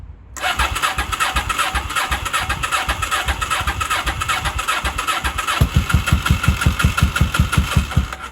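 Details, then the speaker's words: 1983 Honda Shadow VT750C V-twin on first start after final assembly: starter churns, it catches and fires unevenly for a few seconds, then dies; plugs flooded from earlier cranking, starts but will not keep running. "she doesn't want to stay running I could probably use starting fluid give her a little kick"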